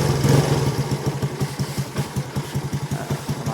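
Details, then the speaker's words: Yamaha small single (Finn) with a stage-2 53 engine kit, stock sprockets and a cut stock exhaust, checked after a crash: low, slightly uneven pulses at about three a second with puffing pops, like backfire or an air leak. Exhaust leak suspected, unconfirmed. "ท่อแท้ส่งไปผ่ามีรอมีเสียงเหมือนย้อนว่ะเหมือนลมรั่ว"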